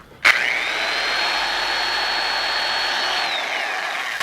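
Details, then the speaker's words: Yard-sale double-insulated drill fitted with a grinding disc, not reversible or variable speed: it winds up to a clean, steady high whine, holds evenly, then coasts down smoothly when released. It works fine. "Works fine. Again, it's not reversible, but let's see how if it's variable speed. No, it's not"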